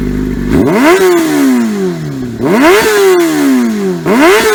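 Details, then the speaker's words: 2003 Yamaha YZF-R6 after ignition coil fix, which had caused rough idle and no power below 8,000–10,000 rpm, exhaust dented: three crisp revs climbing high and dropping back cleanly, no stumble, firing evenly on all cylinders. "so I'm happy it's fixed now the bike sounds much better even though my exhaust is still dented in because I'm an idiot but that's besides the point overall she sounds good though"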